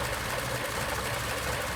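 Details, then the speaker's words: 1941 Ford Super Deluxe Business Coupe with a flathead and three-speed manual, idling in neutral. A soft, even hum with a faint steady patter and no knocks or misses; it runs very quietly and healthily. "it's so quiet I never knew that flatheads were so quiet"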